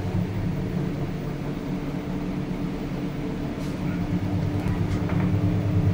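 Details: Panasonic automatic washing machine after inverter board repair for H12 and U12 errors: even low rumble at steady speed for several seconds, no clunks or grinding; normal spin, both errors fixed.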